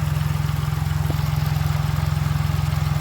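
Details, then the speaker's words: 2019 Ford Fiesta EcoBoost after replacing the timing chain and oil-pump wet belt: start-up is fine, smooth even idle with a steady low beat near 3.5 per second, no knocks, ticks or rattles, no dashboard oil-pressure warning; healthy. "දැන් මේ start එකේ තියෙන්නේ කිසි අවුලක් නැහැ."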